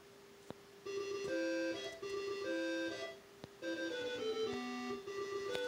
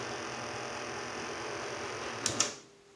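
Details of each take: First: CoCo computer fitted with a home-made replacement board for the SC77526P sound/joystick DAC chip: clear, steady game-music tones with no buzz or crackle while the joystick is unused; working the joystick causes interference. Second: Tandy CoCo with replacement SC77526P DAC board (revision 1): harsh hissy buzz with whistling tones on sound output while the joystick is worked, then clicks and near silence; audio interference when joystick moved.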